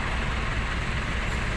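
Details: Isuzu 4BC2 diesel after a faulty battery was found (the starter had only clicked): a steady, even clatter at idle with a smooth low rumble and no misses or knocks. It now runs normally.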